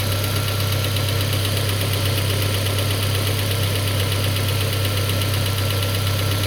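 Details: Peugeot 407 2.2 petrol, cold idle, Total 9000 5W40 oil: light regular tapping about eighty a minute over a low hum. It appeared after ring replacement, valve lapping, valve stem seal replacement and idle-air channel cleaning. Source not pinned down.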